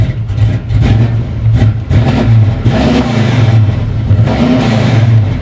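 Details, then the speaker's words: 1994 Chevy C1500, carbureted 383 V8 with 700R4 transmission, first start after purchase: deep throaty V8 revs up and down cleanly through several blips, even firing, no knocks or misses; sounds healthy. "oh wow okay um ho holy crap that sounds good wow not going to lie I wasn't expecting that at all"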